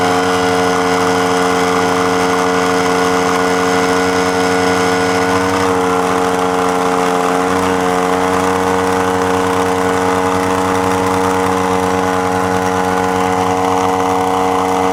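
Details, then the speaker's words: Central Pneumatic 95275 oil-less 3-gallon 100 PSI pancake compressor running: steady buzzing drone with a slight tone shift partway, then winds down; the head O-ring has blown, burned up and destroyed; head gaskets later ordered. "not sure what happened there the the tone of the thing changed I'm wondering if that O-ring blue just then oh yeah it's destroyed it's already destroyed look okay so it basically burned it up and destroyed it"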